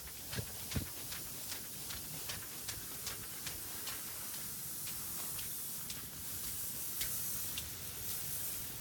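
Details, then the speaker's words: Residential sprinkler system zone three, backyard, soggy grass after heavy rain: impact heads ticking two or three per second over steady spray hiss as they rotate and throw water; one head rotating the wrong way. "as you can see it just kind of rotates and fires water all over the place in the backyard"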